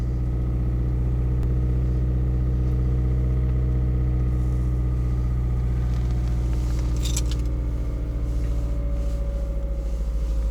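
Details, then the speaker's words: Toyota RAV4 on Sintec Premium 0W-30 oil, started first try at about −24 to −29 °C: steady even low rumble, no misses, knocks or ticks, settling smoothly; normal cold idle. "Так, заводим. Нажимаю тормоз. С первого раза"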